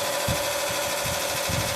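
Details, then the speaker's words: 1986 Carrier Siesta 6100 BTU window air conditioner running on fast fan and blowing cold air. A loose, uneven slapping chatter over the motor hum, lawnmower-like. The lower radiator has rusted off its mount, so the fan blade strikes the shroud/guard. "this lower part of the radiators rusted off the mount down there and fan rubs against the guard"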